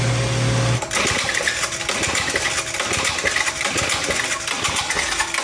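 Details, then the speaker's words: 1969 Powell Challenger vintage mini bike with Tecumseh HS40 engine, fueled and pulled over at wide open throttle: repeated rough mechanical bursts about twice a second, never catches; cranks but won't start, owner suspects no spark. "I got wide open didn't do anything took off let's try to add a little something I don't know fellas it might not have spark"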